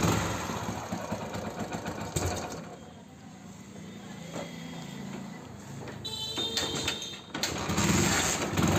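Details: Hero Splendor Plus single-cylinder after repair: head refitted, cylinder head O-ring replaced, sprocket timing reset. Started and blipped sharply, revs rise and fall cleanly with no knock, rattle or puff; runs healthy.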